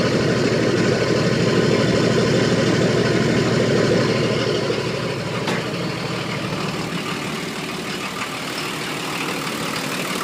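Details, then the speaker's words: 1980 International Scout II, stock Nissan SD33T turbo diesel (Garrett T3), freshly rebuilt, first run in the truck, cold, idling about 750 rpm: steady hard clatter about three beats per second. Loud idle; owner unsure, suspects cam. "that's what it sounds like it's pretty loud compared to some of the others that I've Just Seen on on YouTube um not sure if that's because of the cam or or what the deal is"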